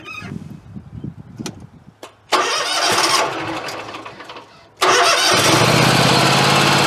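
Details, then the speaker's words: Scag Tiger Cat mower after replacing the deck belt with a correctly sized one: quick chirp at startup then even running with no ongoing squeal; the old belt was the cause of the squealing. "It's just got that little initial squeal when you first start it, and that's it. But it's not squealing like it was, so that was the belt."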